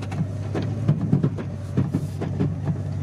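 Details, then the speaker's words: Truck driving in four-high through cul-de-sac U-turns: deep rumble with uneven thumps and clunks every fraction of a second, something skipping; suspected front end rather than transfer case, source unconfirmed; skipping noise in four-wheel drive. "that'd be front end I'm not too convinced that it's the transfer case"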